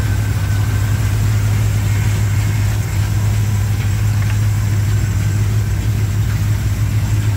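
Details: 1987 Chevrolet K10 4x4 truck, first run after blown head gasket replacement, warming up: deep, even V8 idle with steady low burble, no knocks or misses; normal healthy idle.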